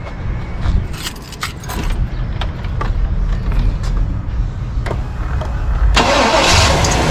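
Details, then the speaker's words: Chevy 1500 2WD 350 V8 (88-98) after replacing tired big-body starter with small-body starter; short quick cranking with no dragging, then catches and settles to a steady rumble; normal crank and start. "hey that did sound better didn't drag in the beginning yeah so solve the problem tired starter"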